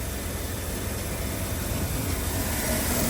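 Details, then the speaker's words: 2006 Land Rover LR3 SE V6 after power steering pump, reservoir and hose replacement, fluid below fill: low even engine hum under soft airy hiss, no pump whine or groan, dead quiet; normal running with quiet power steering pump. "Wow. It's just dead quiet. It's perfect."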